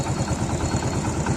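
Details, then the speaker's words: Old Hero bike single-cylinder idling after the magnet cover was refitted and tightened; earlier rattle from loose plates gone, steady even putter with no rattle; normal idle. "Puri तरीके से जी चीज की आवाज ए रही थी पत्तियां उसकी आवाज कर रही थी तो यहां पर आवाज बिल्कुल खत्म हो गई है और गाड़ी पुरी तरीके से साइलेंट हो गई है"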